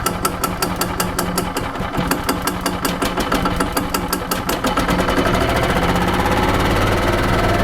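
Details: 1995 Yamaha G14 gas golf cart after starter generator replacement and PCV reconnected, previously wouldn't restart or crank: even single-cylinder thumping that quickens and smooths out, running steadily with no misses or knocks; normal running.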